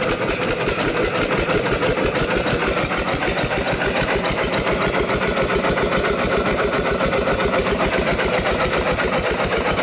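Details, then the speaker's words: Rebuilt upright steam engine running for the first time in probably 80–100 years, after a misaligned, loose part was tightened to stop the leak. Even chuffing about four exhausts a second, quiet with no knocks: normal running. "we'll do more to it but for now it is running it's running pretty good first time in probably 80 or 100 years it's hard to say"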